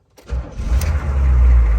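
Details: 2004 Hummer H1 6.5 turbo diesel, started after glow plugs with a new PMD and giant heatsink fitted following PMD failure: short crank, catches at once and settles into a deep, even rumble with no stumble. Normal, healthy start.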